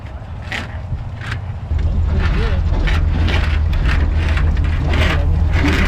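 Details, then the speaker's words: 1968 Oldsmobile 442 V8, formerly locked engine now revived, after driving: deep, even rumble settling into steady idle with no knocks, misses or stumbles; engine healthy, only left front tire rubbing. "it runs good except for that one tire like other than the tire other than that front tire she's a peach it's crazy how quiet it is like it sound just right"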